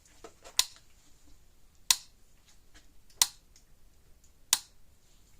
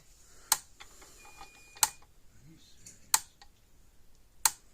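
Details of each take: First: Gallagher M1500 fence charger that clicks but gives weak or no output, plugged in to check output before the bulb change: sharp crackling snaps about every 1.3 seconds, each pulse sounding like arcing somewhere; cause suspected, not confirmed. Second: Old purple-cased Gallagher M1500 electric fence energizer, brought in clicking with weak to no output, on test during repair with a tester reading about 9.9–10 kV: crisp, even snaps about every 1.3 seconds over a quiet background; it is pulsing normally.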